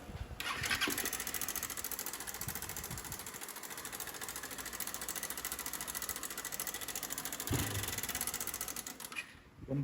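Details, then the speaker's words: Motorcycle ("160") engine at idle with a fast, uneven metallic clatter over the exhaust; the valve cover is removed to reveal a slack cam chain, which is to be replaced to see if the noise stops. Cam chain rattle. "aqui rapaziada é a corrente de comando ó folgada vamos substituir para ver se ela vai parar o barulho"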